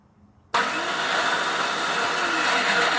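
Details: GM starter cranking: a harsh, steady whirring grind for about two and a half seconds that never catches, the sound of a bad starter.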